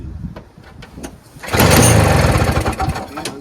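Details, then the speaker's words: Early-2000s Toro Snow Commander 7 hp R-Tek 24-inch single-stage two-stroke snowblower with spark confirmed; dry pull-cord strokes then short ragged sputter that won't stay running, fuel starvation, aftermarket carburetor to be removed and checked. "that was pretty good so it just won't stay running I'm going to remove this carburetor and check it out better because it is an aftermarket"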